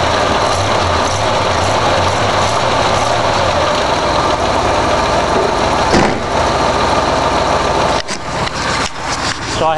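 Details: A freshly rebuilt and timed 1965 Ford 352 V8 in a wagon starts and settles into a steady, even idle without stumbling, the sound shifting slightly late on; it runs fine after the rebuild.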